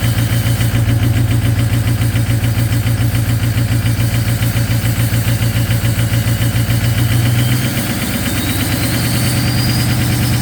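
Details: Ford 6.0 Powerstroke diesel at -2°F cold high idle: loud uneven clatter pulsing about three times a second with a hiccup partway through; partially gelled fuel causing misfire, cleared with anti-gel additive.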